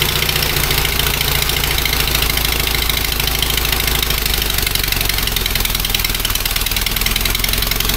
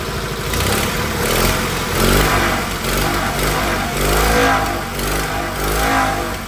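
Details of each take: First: Fiat 126p two-cylinder engine after valve clearance adjustment, just started; rough idle with loud rasp and uneven chuffing, owner thinks it is farting from the exhaust; exhaust popping. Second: Fiat 126p two-cylinder engine after refilling and bleeding the water cooling system; engine swells and settles through throttle blips, firing evenly without knocks; temperature normal, cooling fan switches on before half-gauge; normal running.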